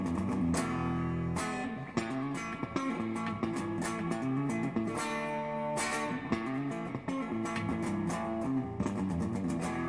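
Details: Crate Vintage Club 50 tube amp (EL84s), after the fix for heat-related intermittent volume swells and nearly an hour's wait: the guitar comes through clean at an even level with no dropouts, crackle or volume swings; normal.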